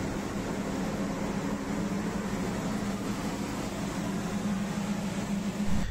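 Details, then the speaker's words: Mercury outboard on a rescue boat after replacing the defective spark plug that caused hard starting: steady, even drone with no misses or stumbles; running smoothly. "as you can see the engine runs smoothly I hope you get idea from that one"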